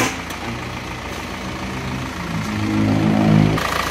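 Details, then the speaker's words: Isuzu Panther diesel after second engine overhaul, warmed to ideal temperature, smoke problem cured: steady even idle with firm regular beat, then smooth rev rise with no knocks or misses; engine sounds smooth with good power. "ini suara mesinnya seperti ini halus y [Tepuk tangan] gas-gasja halus kan suaranya untuk tenaga sudah oke banget"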